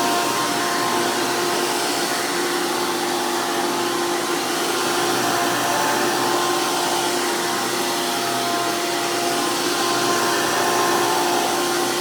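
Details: 2002 Hoover PowerMax II U5246-940 upright vacuum with 12 amp Elite motor, the noisiest Elite motor, after motor work: loud, steady high-pitched roar with an even, unwavering whine; normal smooth, healthy running.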